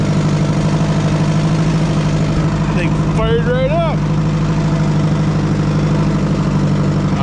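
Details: Oliver 550 tractor engine, oil change uncertain, fired right up before hydraulic pump replacement: steady, even low rumble with a smooth firing beat throughout; normal idle.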